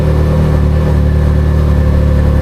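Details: Can-Am Maverick R with DCT transmission, about 2,000 miles, idling after restart following transmission magnet change, before any DCT relearn; no error messages, park indicator shown. Steady, even low idle, smooth regular beat, no knocks or grinding; healthy.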